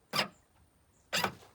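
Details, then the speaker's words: Ford Fiesta ST150 boot release solenoid, refitted after leak repair, in freezing weather: two crisp clean clunks about a second apart, no buzz or drag; pops the boot from the dash button, though key fob button doesn't work. "mean, that sounded pretty good. Okay, yeah, so that was working with the button on the dash. That actually pops it."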